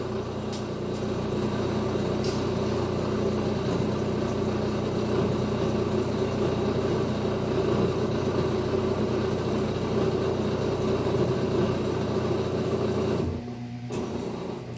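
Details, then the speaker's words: LG washing machine after repair of DE error, reseated control board, tested on spin cycle: smooth, even hum with steady low drone, no knocks or rubbing; spin runs normally, shows 10 minutes, no error. "Bueno, como pueden ver, ahí ya empezó a girar. Nos marca los 10 minutos, no nos marca ningún otro error."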